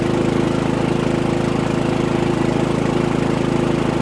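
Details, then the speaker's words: Harbor Freight Predator 3500 W generator, about 25 hours, new oil and NGK VPR7ES plug, carrying an RV 15K AC, six lights and a TV at 15 A, 1800 W: smooth, even hum at steady high speed, no hunting or misfire; runs normally. "now we have one TV on half a dozen lights in the AC and we're at 15 amps 1800 watts"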